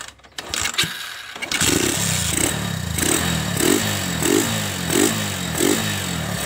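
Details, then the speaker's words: Honda Megapro Primus, weak battery so kick-started, fault was fuel flow blocked by dirt (stalling, jerky when ridden): single catches and idles evenly with light blips; engine smooth, no engine fault. "Oke teman-teman ini sudah nyala mesinnya juga mesinnya juga halus ya teman-teman Nah tidak ada tidak ada kendala di bagian mesin"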